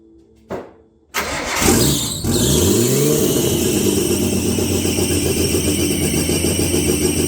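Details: Nissan RB20 engine, first start in 5 years after car rebuild, fuel pump running constantly, no exhaust fitted: catches after a brief crank, then loud raw steady run with some smoke indoors; running cleanly.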